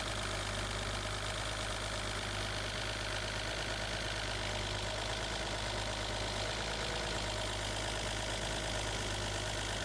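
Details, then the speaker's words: Mercedes W114 with M110 petrol engine and Bosch D-Jetronic injection: fuel pressure, set far too high, is lowered at the regulator toward 28 psi, and the idle becomes smooth and constant with no stumble or surging. "I keep turning, hear that? Idle is getting smooth and constant."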